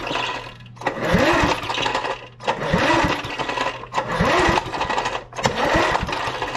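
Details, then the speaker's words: Vintage heirloom lawn mower stored 10 years semi-outdoors exposed to moisture, repeated recoil pulls about every 1.5 s spin it without firing despite ether; no spark at plug test, owner suspects corroded ignition points. "I'm betting our points gut corroded because engine"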